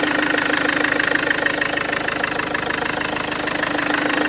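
Sharp, regular metallic knock, about three per second, rides clearly over the idle and stays steady, a distinct engine knock.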